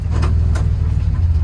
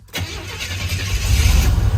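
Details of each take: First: 1984–87 Buick Turbo engine after TPS and IAC reset: starts and settles into a smooth, even low rumble with no knocks, misses or whine; healthy start and idle. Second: 1984-87 Buick turbo car during a TPS and IAC reset, started with the idle air control valve unplugged; cranks and catches, then idles low and uneven with surging, struggling to hold idle, as expected.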